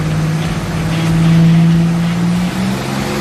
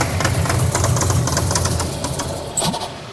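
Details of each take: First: Buick Grand National on a dyno with a wrongly installed front seal leaking oil: the engine pulls hard at full throttle, pitch climbing steadily with no misfire or stumble; about 400 lb-ft at 4200 rpm and 357 hp at 5200 rpm. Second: Buick Grand National that sat a long time, oil pressure present, fuel smelling bad: lumpy, uneven low rumble with stumbling beats that sags instead of settling; hard start and won't idle, bad fuel suspected.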